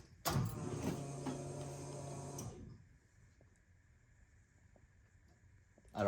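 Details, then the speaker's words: Turbo K20 EG Hatch before first start, no oil yet, fuel pump newly wired to the ECU: at key-on a steady electric whir runs about two seconds, then cuts off cleanly. Normal prime shows the ECU controls the pump. "that noise yeah that's good right that was good yeah okay that is exactly what I wanted to hear because now what that means is that the ECU is in control of the fuel pump"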